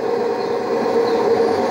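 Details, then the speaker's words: Drean Excel 6.06 washing machine spinning up: a loud roar with a hollow hum, like an airplane landing, from dry drum bearings running metal on metal after a worn seal let water wash out the grease. "el ruido que ustedes escucharon en el lavarropas o al inicio ese ruido es porque los rodamientos ya están secos no tienen grasas entonces estaba trabajando metal con metal en el bolillero está trabajando metal con metal"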